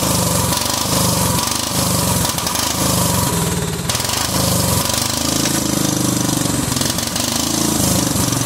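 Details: Cub Cadet 2130 lawn tractor, just started: uneven, lumpy running, note surging and stumbling; fuel system full of water and rust, owner suspects water in the carb bowl is why it runs rough.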